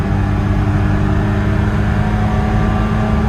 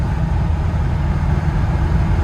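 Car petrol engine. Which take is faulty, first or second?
first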